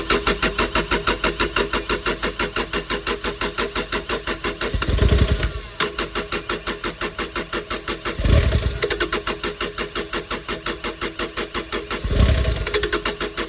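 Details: Kubota digger that ran out of diesel, after its fuel housing was cleaned of sediment and a stone. Steady cranking at about three beats a second, then the diesel catches and surges in three bursts as it starts.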